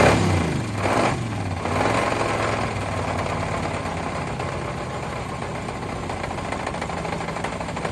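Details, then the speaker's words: Long-parked parts truck first run, started on two-stroke mix in cylinders: rough idle with dull uneven knock about once a second; suspected broken or spun rod bearings, bottom-end noise, oil possibly milky. "it's got some real rod noise in there [Music] i'll be dead it has a lot of bottom end noise for sure uh i don't know oh man that sounds like there is definitely some broken or spun rod bearings not just one but a couple"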